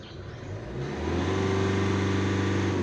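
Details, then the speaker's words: 2016 Hyundai Accent CRDi diesel, after two pressure sensor regulator replacements and clearing codes: revs climb briefly under full throttle then hang flat at one pitch; low power with revs limited, cause unconfirmed. "Ganon pa rin mga boss oh full thr tole na yan full thr tool ganon Pa Rin"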